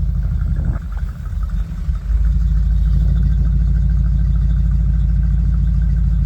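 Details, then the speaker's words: Old Bombardier snow vehicle after nearly six months of repair and restoration, on its delivery test run on ice with skis fitted; deep steady low engine drone after a brief bump, even with no knocks or misses, running healthy. "Okay, way better turning with those skis on. And they're gonna go take a tour down by the riverbank here to make sure everything's running okay."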